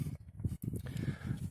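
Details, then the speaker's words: Skoda Rapid driving over rivets and bumps: dull low rear thuds in uneven bursts. Dust boots, shocks, trunk and rear seatback were ruled out; cause is a loose evaporative (adsorber) canister knocking. "на заклепках и на кочках вот самый звук"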